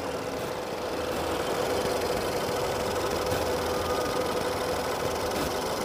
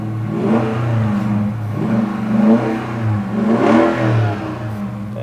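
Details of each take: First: 2.0-litre Honda Accord flood car at auction, just started: low, uneven idle with a faint irregular tick and a weak wavering beat, like it wants to stall; rough idle. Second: 5.7-liter rear-wheel-drive car at an auction yard: several clean throttle blips, each note rising and falling smoothly with no miss or rattle; normal revving of a healthy engine and exhaust.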